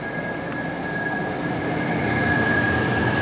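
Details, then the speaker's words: 2014 Itasca Impulse RV roof-top Coleman Mach A/C, cooling from 99 degrees inside; thin steady high whistle over the even blower rush from a bad fan motor bearing; fan motor bearing whistle. "You hear that? Got that little bit of a whistle to it."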